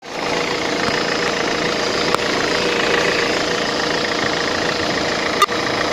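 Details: 2005 Mercedes-Benz Vito at idle: steady idle with a faint, uneven tapping at about two per second; the sump was opened and crank and bearings looked like new, so the owner suspects an injector or a hydraulic lifter.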